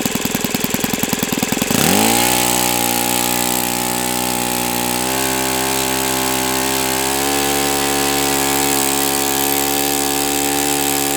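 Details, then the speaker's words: O.S. FS-91S II model four-stroke engine, first run on a test stand, started at about quarter throttle after priming: a few quick flicks, then it catches and settles into a smooth, even buzz with a slight pickup. A beautiful, clean-running engine. "But anyway, this is a beautiful running engine."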